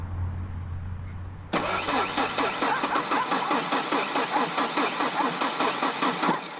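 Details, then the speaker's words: Ford Ranger 2.3L with a 2.5L cylinder head installed, steady starter cranking about two and a half turns per second with no firing; crank no-start, suspected out of fuel, little gas in tank. "Might not have enough gas to run. I think it might be our gas. That has to be our gas."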